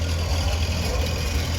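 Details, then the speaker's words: Tractor in parade at Red Power Round Up, Sedalia 2025: deep loping low rumble with uneven beat and slight stumbles at steady speed; onlooker says it's not running right and the engine needs something; cause unclear. "Well, it sounds like she's not running right."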